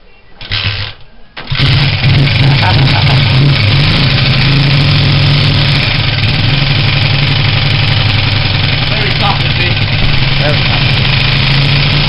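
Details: Honda CG125 rebuild project, first start with fuel tank fitted, fresh fuel and new pod filter, weak battery: short crank, then the single fires and settles into a steady, even idle with no knocks or misses.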